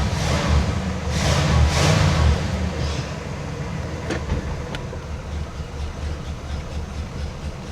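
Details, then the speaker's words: 1979 Cadillac Coupe DeVille carbureted V8 after a carburetor swap, restarted: catches on the first turn of the key and settles into a steady, even low rumble with no misses or knocks, a healthy old V8 idling. "It's a good running old car, man. Listen. Listen that first turn of the key."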